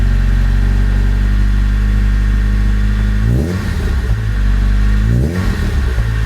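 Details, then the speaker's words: JDM Honda EP3 with Toda aftermarket exhaust, just started: loud deep drone at a steady fast idle with two clean throttle blips settling straight back; loud on startup, quietens when warm; healthy engine. "It is a Toda exhaust there, and it is fairly loud upon startup, but it does quieten down after it's warmed up a little bit."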